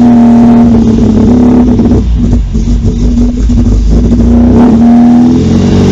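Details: Long-stored MGB GT petrol four-cylinder on its first restart: it catches and settles into a steady, even run with a few throttle blips; there is a radiator leak and it smokes a little, but it runs normally.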